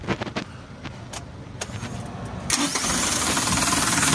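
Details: Mitsubishi Canter 3-ton diesel with a hard-starting issue involving the Palit fuel feed pump: a few cranking clatters, then it catches at about 2.5 seconds and settles into a steady, even idle; normal start.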